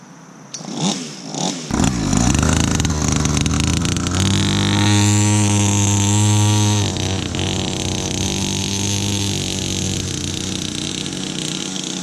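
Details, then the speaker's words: Cheap mini motorcycle, years as a decoration, tyres aired and fresh gas added, ridden outdoors: small single fires up, revs cleanly, pulls away with smooth rising note, holds steady; running good, normal. "alright yeah this thing's running good"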